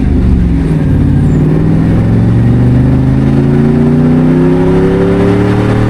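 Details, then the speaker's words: International Scout pulling away from a stop sign under mild acceleration sputters badly with an uneven, misfiring note. The AFR gauge reads slightly rich and the owner suspects too much fuel; other gauges are normal and the cause is unconfirmed. "If you listen closely enough, you can hear that it's it's sputtering really bad. Um, it's like it's not getting enough fuel, but the AFR gauge is actually going a little bit rich."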